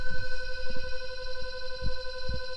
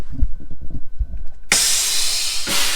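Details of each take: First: Cattle truck and trailer shut off, trailer brakes not yet released: steady droning hum with dull irregular thumps near the trailer; owner suspects an air leak but no leak hiss heard; noise unidentified. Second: Cattle trailer after hauling, below freezing: air pressure released, loud sudden rush of air holding a few seconds then tapering as the spring brakes lock on; normal air brake release.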